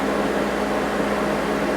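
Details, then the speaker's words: Noisy unit heard outdoors, compared against a window AC: loud steady rush of air with an even low hum and no knocks or rattles; running normally but too noisy. "this thing you hear that it's just too damn noisy meant just too noisy and"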